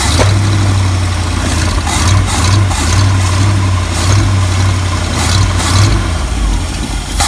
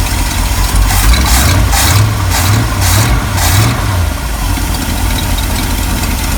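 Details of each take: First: 1974 Ford F-350 V8, crushed by a tree and long unused, started by shorting across the circuit: catches and settles into a loud steady low rumble with small rev swells, no knocking, good oil pressure; exhaust pipe leak and leaking accelerator pump noted. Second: 1974 Ford F-350 crushed by a fallen tree, V8 idling: rough idle with sharp puffing chuffs about two a second; exhaust leak blowing from the pipe where it joins the manifold, not the manifold itself.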